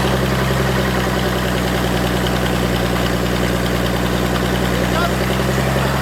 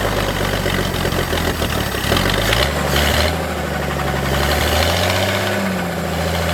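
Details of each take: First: Forklift engine after thermostat install and fuel pump swap/rewiring, started with ether after priming fuel: steady, even low rumble with no misses or stumbles; smooth normal idle. A knocking heard was a loose hydraulic pump. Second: Old forklift engine during rebuild, fuel pump relay reinstalled after rewiring: engine note sags and wanders, briefly catching as it starves, then dies; fuel pump not running on the wiring, confirmed with relay tester; stalling from fuel starvation.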